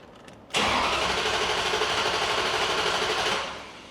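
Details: Ferrari 360 during misfire diagnosis, no check engine light, cylinder 7 coil already replaced, after crank-to-cam adaption reset: starter whirs, engine catches, settles into uneven stumbling idle with lumpy beat; misfiring.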